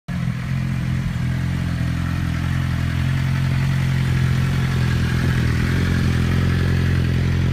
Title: Whining noise and cam chain noise gone